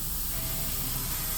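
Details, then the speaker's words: Air system on an end-dump truck with a PTO tower: steady sharp hiss over low diesel idle as air escapes past the blown seal in the PTO/dump control valve; gauge dropping, compressor couldn't keep up, found while driving on highway. "It just started spitting air. And immediately I had to pull over because my air gauge was going down. My air compressor couldn't keep up with it."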